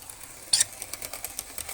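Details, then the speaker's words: Model railway loco with new DCC decoder on test loop: light even wheel ticking broken by a short sharp scratchy rasp as it brushes protruding piano wire; fix is snipping the wire shorter. "yeah that's a scratch isn't it i'll have to get the choppers out and try and snip that piano wire down a bit more"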